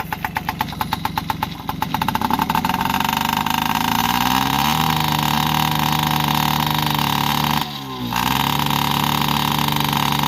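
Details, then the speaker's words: Yamaha PW50 two-stroke after 5 years' storage, aftermarket carb and cables: pops unevenly, then a flat labouring buzz that barely picks up; it runs rich because the too-short aftermarket choke cable held the choke on, and the misadjusted throttle cable let the slide open only halfway. "the other problem was the choke cable that goes up under there was too short as well so the choke was always on no matter what you did"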